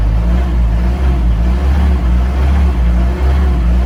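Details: Mahindra Roxor turbo diesel in cold weather, idling on a low-fuel warm-up tune before switching to the P2 tune: deep, steady diesel rumble with an even beat, no knocks or misses; cold engine warming up at a smooth, healthy idle.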